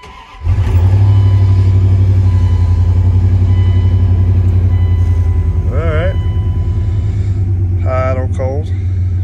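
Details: 1999 Dodge Ram 1500 5.2 L V8 that stalled and died at idle (owner suspected the idle control valve) holds a deep, steady, even idle after the part was replaced, with no dips or stumbles.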